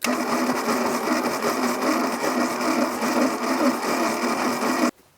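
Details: 1982 Plymouth TC3 (Horizon) first turnover in 32 years, rat's nest cleared from the belt, spark plugs out with oil still coming out: steady rapid gritty chattering on the starter without firing, noise improving with time.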